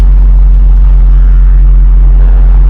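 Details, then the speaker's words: 2002 Jaguar XJ8 Sport (X308), 3.2 V8, long parked near a hedge, heard idling from the rear of the car; a deep, steady, even rumble with no misfire or tapping, sounding super smooth and healthy. "You can see it's been sat near a hedge for quite a while. And it sounds super smooth. That sounds really good."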